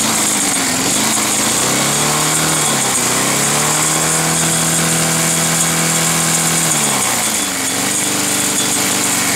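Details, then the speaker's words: Roadside-salvaged Nautac mower with Quantum XM engine in poor condition, pull-started: speed sags then climbs back over a few seconds, hunting rather than holding steady, running rough but keeps going. "ça démarre ça tourne mal mais bon ouais ça va l'air d'aller"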